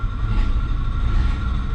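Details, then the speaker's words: 1984 Chevrolet K20 3/4-ton 4x4 farm truck that sat after the clutch was burned out. With the clutch out, a rough, gravelly grinding rumble comes from the bell housing and goes away when the pedal is pushed to the floor: the pilot bearing has disintegrated. "bell housing the pilot bearing disintegrated oh yeah as you push it to the floor hear that now as i push it down goes away"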